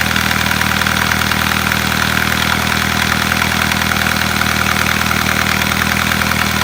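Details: Volkswagen Passat B6 at steady idle with quick regular tapping about three times per second on top; engine knock, source unclear.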